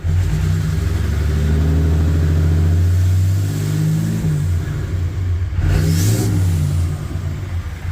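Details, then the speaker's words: Fourth-gen Ram 3500 Cummins with its HE351VE turbo just rebuilt: it revs up and settles with a smooth, even note, a clean spool and the actuator cycling, slightly more spooly than before. Normal turbo spool. "Sounds just like it did before. Maybe a little more spoolie, but I mean that could be because the the veins are slightly more closed, I guess, than before."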